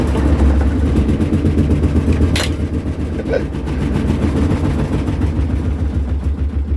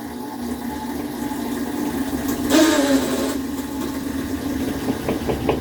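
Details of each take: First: Kenmore top-load washer in its spin cycle, draining: heavy low thumping about four times a second as the machine rocks and walks across the floor. The side parts need replacing, and the cause is suspected, not confirmed. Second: Kenmore washing machine after fixing its heavy shaking and walking: steady low hum, a surge as the water pump activates, then a faint light knocking from the back. Normal operation, no problem.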